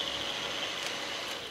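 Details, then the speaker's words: Fostex D1624 hard-disk recorder tested with a replacement fan sold as super quiet. A steady airy hiss with a faint high whine still sounds loud, similar to the original noisy fan: loud cooling fan noise. "here's the this suppose a new fan it's supposed to be real quiet but that sounds like"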